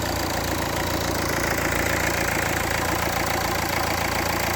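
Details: Renault 1.5 dCi K9K diesel after parts replaced during engine-noise diagnosis: steady, even diesel clatter at idle with no squeal, knock or rattle on top; engine sounds healthy, normal idle.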